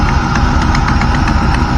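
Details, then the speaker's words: 1997 Camaro SS LT4 with Comp CC503 cam, roller rockers and SLP longtube headers, warming toward about 180–185°: lumpy idle with sharp, uneven popping ticks five or six per second; exhaust leak. "you hear that pop that popping sound is exhaustively"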